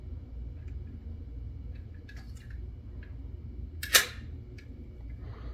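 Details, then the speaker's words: Perfex Forty Four camera shutter firing at high speed: one crisp single snap in a quiet room with faint handling clicks around it; shutter fires cleanly and normally. "it doesn't sound like a standard shutter when it's in these higher speeds it sounds like a singular"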